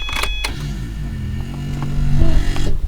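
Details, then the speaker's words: Subaru WRX racecar with a Radium surge tank, engine off: a low, uneven electric whir climbs and labours as the fuel pumps prime, fuel pressure reading 15; the owner suspects the pumps burned out after running the tank empty and plans Walbro 450 replacements. "hear that so you can hear them really struggling i'm not going to start the car but 15 um that's a little better than last time but it's not where i want it"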